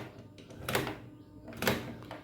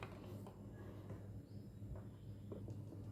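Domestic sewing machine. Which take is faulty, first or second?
first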